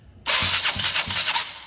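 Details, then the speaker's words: KTM Duke 200 that cranks but won't start (starts only by push-rolling): sluggish starter churning at about three compression thumps a second under loud hiss, around 400 rpm and over 200 A draw; slow cranking, bad starter or tight engine suspected. "Hay un consumo excesivo en el arranque. Puede ser por dos cosas. Por dos cosas. Arranque malo, ¿verdad? O muy ajustado el motor."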